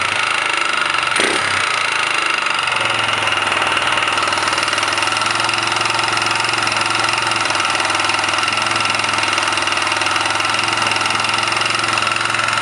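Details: 1999 Kawasaki Bayou 220 ATV single-cylinder engine idling steadily with a fast, sharp knocking through the exhaust beat; engine knock at idle, cause suspected, not confirmed.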